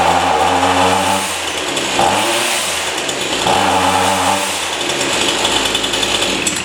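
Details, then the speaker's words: Chainsaw at full throttle before carburetor adjustment, air filter clean: revs surge, sag and stall instead of holding a clean scream, responding poorly at high speed; bogging at high speed, with the high-speed needle needing a spline tool. "it doesn't respond very well in the high-speed"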